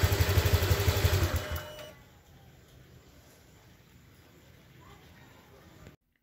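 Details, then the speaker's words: Honda Click 125 scooter starts but dies within minutes, especially when throttled, sometimes after warming up: rough, lumpy chugging under two seconds, then stalls; misfire from a spark plug shorting internally. "Nagi-start siya pero ilang minuto lang namamatay siya. Lalo na pag tinrattle mo siya, bigla na lang siyang namamatay."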